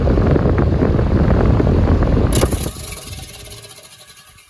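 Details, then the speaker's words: Vornado fan on high after disassembly and oiling, earlier knocking: heavy rough rumble and grind like rocks in the motor, fading as it coasts down; current jumps about 0.6 A at start, cause unconfirmed. "uh sounds like there's rocks in the motor"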